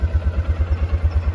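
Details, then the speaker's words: 2018 Kawasaki Mule with low miles, after replacing the starter solenoid and charging the battery. Even, low thumping idle at about eight beats a second with no clatter or misses. Normal idle after the repair. "so was it solenoid and then a battery charge and now we're good"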